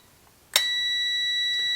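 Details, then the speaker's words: 1952 GM Guide Autronic-Eye vacuum-tube headlight dimmer for a 1953 car, continuity test after troubleshooting: a click, then a clean, steady tester tone with no dropouts. The relay had earlier cut in and out and now closes solidly; good relay contact continuity. "remember a while ago that was sounding really iffy and cutting in and out it's very solid now relay works excellent"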